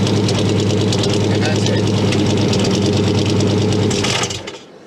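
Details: K5 Blazer with TBI and a long-crank cold-start issue, started after waiting for the ignition chime to end, about a second after the fuel pump stops priming. Steady, even idle, no misses or stumbles, clean shutdown; normal start and idle.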